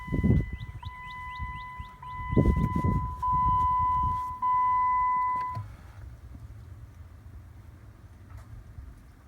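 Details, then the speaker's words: Jeep Wrangler JK/JKU heat/AC blend door actuator behind the steering column, after reconnection and key-on calibration starting from full cold. Chimes, then a short smooth motor whir, no clacking. Normal actuator calibration cycle. "no clacking noises let's see let's go and pull hot full cold well I hear the motor turning so I'm going to just go ahead and assume that the Jeep is happy"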